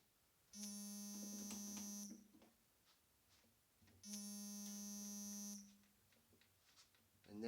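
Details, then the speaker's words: 1993 Kawai keyboard after reseating the key spring: two clean sustained synth notes with soft, even key releases and no clunking underneath; normal key action after repair. "we go that is the sound that we got no clunking noise anymore it's exactly what I wanted here"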